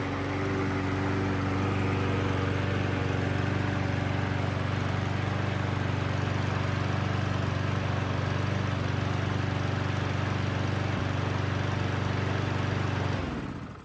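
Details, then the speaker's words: Huskee mower after carburetor replacement and new brake cable, previously wouldn't run from fuel damage, no choke; fires up and holds a smooth even low drone, no misses or surging; normal running. "Cool, everything works great."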